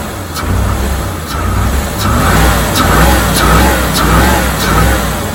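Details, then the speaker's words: 1987 C4 Corvette TPI V8 just after a new mass airflow sensor was plugged in: catches and settles into a steady, even run with a slight surging swell, no knocks or misses; the MAF was the fault, though a slight runner vacuum leak remains. "That's what it was, mass airflow sensor."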